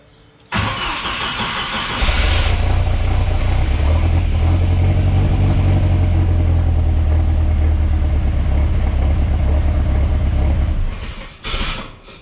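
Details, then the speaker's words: Chevrolet S10 swapped with a big-turbo 3.0L Mercruiser boat engine on a makeshift-wired computer, dead cold: brief crank, then a lumpy, uneven cold idle with heavy low rumble; startup parameters are still finicky because it is tuned only for warm idle. "it was tuned enough to idle when it was warm it's now dead cold either way you get the point it runs on a computer that's just ghetto wired"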